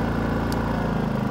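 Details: RV generator restarted with the 30 amp trailer plugged into an ActiveStart soft starter: steady, even low hum with unchanging beat and no misses or knocks, settling into a healthy idle.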